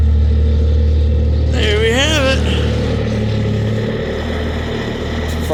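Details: Bobcat S250 skid steer diesel cold start in freezing weather, with glow plugs now needing about 20 seconds instead of 10: it settles into a steady low idle with an even rumble and a brief rising whistle.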